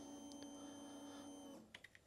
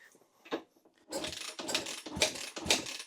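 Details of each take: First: 2013 Kawasaki KX250F fuel injected, diagnostics harness connected to battery: steady quiet electric hum about a second and a half then light clicks; fuel pump priming normally. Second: 2013 Kawasaki KX250F fuel-injected, after head and valve replacement following a dropped valve: catches after several kicks, low lumpy idle about four beats a second, wheezing for fuel and air; idle set too low.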